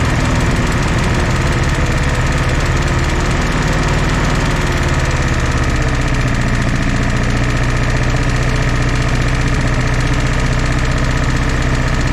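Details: 1964 Jeep CJ5 barn find, previously seized engine, just revived: lumpy idle for about five seconds, then settles into a steadier rhythm as the fourth cylinder kicks in and all fire; smoky but smooth.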